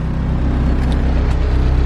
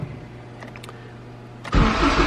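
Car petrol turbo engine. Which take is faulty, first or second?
second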